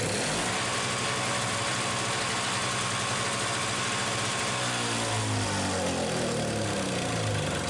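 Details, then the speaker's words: Free MTD two-cycle snowblower after grounding the key-switch wire, blade-engagement cable still seized: steady healthy buzzing with slightly drifting revs and even firing; runs normally and stops with the key. "we got this snow blower running and able to stop running"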